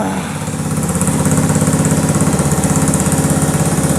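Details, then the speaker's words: 1985 Honda ATC110 three-wheeler, long abandoned in a field, started on choke after brake fluid sprayed down the intake; small single chugs unevenly about three pulses a second then steadies; rough running, carb suspected gummed up inside. "Keep choking on it. Come on. Come on. I bet that carb is gummed up on the inside."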